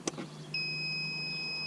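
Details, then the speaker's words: Intex saltwater system for above-ground pool after replacing a water-damaged GFCI plug (damaged rubber covers let water in); a single clean high beep lasting about a second on power-up: normal power-on beep, fix successful. "hear that beat that means it's turned on therefore we have successfully fixed our saltwater system"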